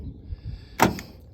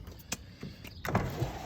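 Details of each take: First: 1988 Toyota Land Cruiser FJ62 power door locks: two short, sharp, clean clunks of actuators cycling; all doors work fine except passenger rear, which unlocks but struggles to lock (owner unsure if hung up on door panel); normal lock operation. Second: 1988 Toyota Land Cruiser FJ62, passenger-side power window: motor whirs low and strained, glass creeps up very slowly, jumping and catching with thumps; owner suspects hardened window rubber needs replacing rather than the motor, maybe needs grease; slow power window.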